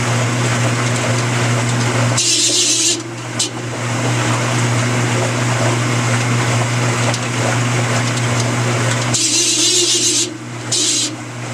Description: My Amana washer is making this terrible screeching sound.